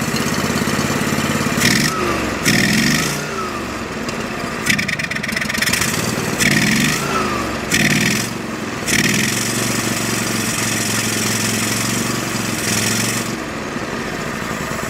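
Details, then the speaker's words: Go-For Digger tow-behind backhoe bought at an estate sale, long sat with no history. After gas was squirted into the carb while the fuel filter fills, the engine catches, surges and sags unevenly, and won't hold the set throttle; the governor was checked and the carb was nearly closed. "Just like it won't even hold that throttle position, too. like, you know, it should stay at least."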